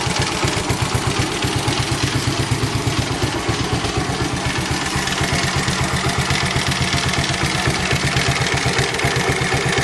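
Steady rapid knock at about four per second over the idle, even and persistent; knocking from inside the engine, cause not pinned down.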